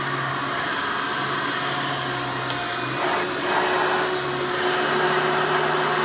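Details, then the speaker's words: 1988 Hoover Elite vacuum running after its worn motor was replaced with one from a trash-picked 1995 Hoover: a strong, steady motor whine and even airflow rush with no rattle or grinding. Suction is much better, so running is healthy. "I notice right off the bat that the suction is so much better now not only does the machine sound better but it performs as a vacuum a lot better"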